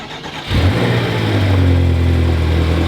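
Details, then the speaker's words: 2018 BMW M6 V8 (Copart salvage with front-end damage) first start: fires quickly, settles into deep, steady, even burble through side-dump exhaust, no knocks or misses; sounds beautiful, normal idle. "wow dude that sounds beautiful"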